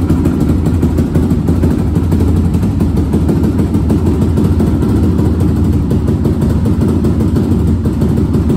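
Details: 2002 Yamaha Raptor 660 single that sat over 1.5 years without starting, after carb clean, jets, valve adjustment, fresh gas, oil and coolant: steady even idle thump, low smooth rumble, no misses or knocks; healthy idle.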